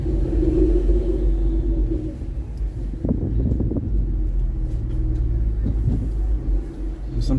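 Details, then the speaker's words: Ford Explorer, warmed up, under load after a popped-off wastegate actuator rod was refitted; deep loud exhaust rumble pulling steadily with no stumble or power cut; boost holding normally, blow-off barely audible. "this exhaust is so loud i can barely hear the blow-off vibes but i think i heard it"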